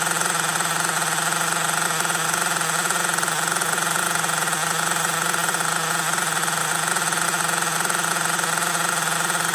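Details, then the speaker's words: LRP 32x Spec 4.1 nitro engine on second break-in idle tank in a cold garage (engine about 57°F), needles set rich; high buzzy, slightly blubbery steady idle with lots of oil from the exhaust, still running rich. "still running rich a lot of oil coming from the exhaust so attack number two still running rich"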